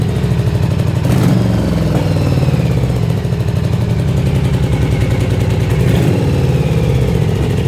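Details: Yamaha Virago XV750 V-twin: lumpy uneven idle with loud irregular pops; only front cylinder runs properly, rear cylinder backfires then engine dies and won't restart.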